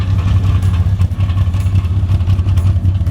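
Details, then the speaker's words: 1995 Toyota Land Cruiser 80 series: a low idle that lumps and hunts up and down, shaking the car, with black smoke and possible tappet ticking. The owner wonders about a faulty PCV valve; the cause is unknown. "So don't know about that fluctuation in RPM as well. Like it's going up and down, and it just like it's shaking the car overall."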